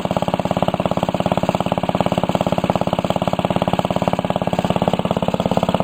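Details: 1945 Briggs & Stratton Model WMB single-cylinder engine, restored with a rope starter replacing the kickstart, run after repainting: crisp, evenly spaced pops at a steady speed with no misses or knocks; healthy, well-running engine.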